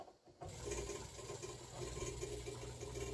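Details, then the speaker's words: Old refrigerator on a DIY Nissan Leaf battery pack with a Reliable 1500 W inverter. Harsh fluttering buzz pulsing about twice a second while the compressor never starts: inverter overloaded by the compressor's starting current, too small to run the fridge. "I'm sure that's not good on the inverter but it does not want to run the compressor I figured it wasn't gonna do it because I mean the fridge that draws a lot when I first start"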